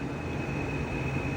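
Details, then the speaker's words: 110 CFM, 0.9-sone bathroom exhaust fan, motor previously cleaned, housing held up with tape: loud steady roar with a thin high whistle, far noisier than it should be; owner suspects bad motor bearings, unconfirmed. "Cuz it should not make this fucking loud noise."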